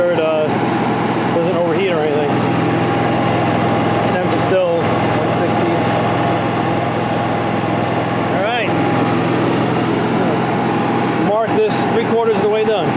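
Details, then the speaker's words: New RV generator just installed in a 1976 GMC Motorhome, heard from inside near the bed above it with no AC or other load running: steady, even, very quiet drone holding one pitch, no knocks or hunting; runs smoothly. "i mean it's not i don't have anything running right now ac or anything but it's very quiet up here you can barely barely even hear it"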